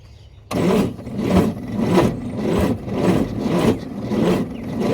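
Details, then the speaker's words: Vehicle with the air breather off, jumped with an EverStart 1000 A pack: even, steady cranking about 100 surges a minute, turning over strongly but never catching. "I mean, it does the job. Considering this is basically just a 12volt battery when you turn it on."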